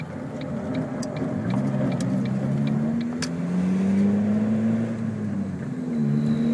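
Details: 2002 Ford Focus while driving: irregular sharp knocks over road and engine noise from the driver's side front; clunk traced to a bottomed-out front coilover, since fixed.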